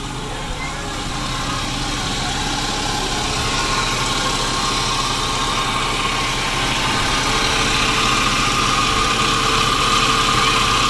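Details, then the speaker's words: 2009 Daihatsu Grand Max idling with a steady drone and hum, noisy engine; traced to a worn belt idler pulley bearing. "Jadi suara mesinnya seperti itu teman-teman. Jadi suara daripada mesin ini dia agak berisik dan dia mendengung."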